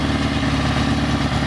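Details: Restored 1974 Honda CB350 Four after a bench sync and then a gauge carb sync, with carburetor number three adjusted down slightly: a smooth, even four-cylinder idle with a steady low burble and no misses or hunting; the carbs are balanced.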